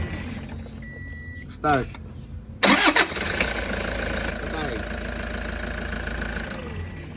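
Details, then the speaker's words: Toyota HiAce 1KD diesel after replacing noisy alternator pulley: cranks briefly, fires and settles to steady even idle; hiss heard at engine shutdown is gone. "Nawala na ang kanyang ingay mga boss. Ag pinatay ang kanyang makina yung parang sumisingaw nawala na."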